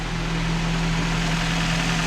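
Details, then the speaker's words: 2014 Nissan Rogue at idle after replacing VVT oil solenoids: steady, even idle with smooth low hum, no knocks or misses; runs cleanly, no oil leaking, O-rings sealed. "you can see them down there it sounds good now i don't see any oil pulling out of pullering out anything so i know we got our o-rings nice and sealed in and stuff"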